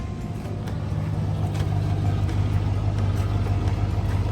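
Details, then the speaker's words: 1985 Chevy Suburban C20, Chevy 350 V8, warm with 195 thermostat, after carbon-cleaner heat soak: deep, steady idle rumble with slight rise and fall, runs smooth; small dark smoke puff at startup, suspected valve seals. "It sounds good. There's a little puff of dark smoke uh when it first started."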